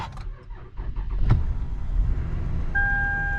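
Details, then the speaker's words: 2009 Lexus ES350 in icy weather after sitting on jumper cables several minutes: short, labored crank that barely turns over, then catches into a low rumble; weak, drained battery. "It barely started. I didn't think it was gonna turn over there for a second."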